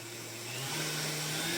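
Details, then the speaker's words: Heavily used stand mixer with a screw that had been milling the planetary: steady even motor whir picking up speed slightly, no rubbing or scraping; sounds much better, running smoothly. "But take a listen. It sounds so much better already."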